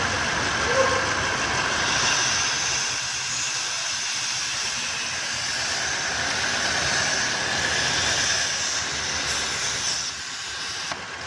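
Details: 2015 Audi A8 L at idle: steady high-pitched hiss with a faint whistle over a quiet idle; whistling noise.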